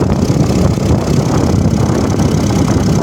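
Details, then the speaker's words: Seat Ibiza VAG 1.4 MPI (BXW), cold start just after oil pickup screen and sump cleaning: steady, even idle with low rumble and exhaust rasp from a holed muffler, no lifter clatter; much quieter than before. "так вот такой теперь звук у нас вот машина на холодную только завелась"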